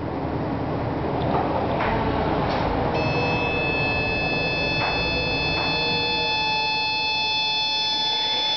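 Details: Homemade 1500 A motor controller driving a large, roughly six-inch Advanced DC forklift motor on 36 V from three mismatched lead-acid batteries with improved cables: steady hiss, then a clean high whine from about three seconds. Controller unfazed; normal run.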